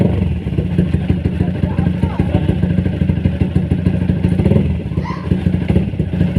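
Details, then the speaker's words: Motorcycle idling after service with Uma Racing HP3000 fully synthetic 4T oil; steady low putter with light fast ticking knock following each firing stroke, knocking still present, cause not confirmed. "dengar bunyi nocking itu ada lagi pada kode kurang tapi aku cukup tahu"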